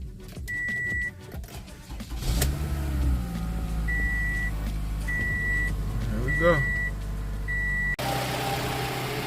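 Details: 2016 Toyota Camry LE just after the starter was replaced with a reman unit. The chime beeps, then a quick even crank, and the engine catches promptly and settles into a smooth idle. The starter is working properly: normal start.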